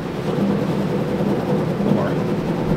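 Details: 1974 Johnson 440 snowmobile track turning after long storage, belt and wheels fine: continuous low rumble with a faint steady hum, sounding dry and rough; hoped to settle in; rumbling track.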